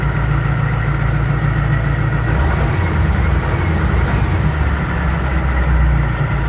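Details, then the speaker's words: Ford L8000 crane truck with what is believed to be a Cat 3208 diesel, not run for four to five years, started on a jump pack: a deep, steady rumble settling into an even idle with no misses or knocks; starts and idles normally. "Ooh, well, that's good news. No radio. Well, that's a good sign. Oh. Oh, that was easy. Okay, I guess you will start."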